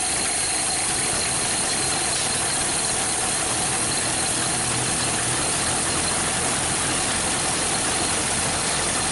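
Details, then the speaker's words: 1931 Ford Model A first start in years, choke off, side cover bolts out; loud rough uneven four-cylinder with clatter and smoke, small leak; two cylinders low on compression, rings suspected; rough running, smoking. "oh she's smoking hope you hope the playroom okay so we've got a little leak"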